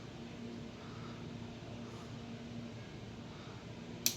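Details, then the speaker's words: HP LaserJet 1008 printer after fitting a genuine toner cartridge and powering on: quiet low hum, one small click, no grinding; the earlier noise was a cartridge problem and is now gone, printer ready. "On करने के बाद यह आवाज अब आना बंद हो जाएगा। यह आवाज आना हमारा बंद हो गया।"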